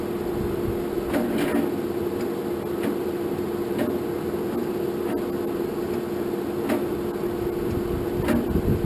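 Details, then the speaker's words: 1947 Farmall M tractor, first start attempt after rebuild, using a jump box after charging the battery; starter drones with a sluggish thump about every second, engine turns far too slowly and never catches. Owner suspects weak battery; not confirmed. "well guys I don't think that battery was any good because I could not get that thin"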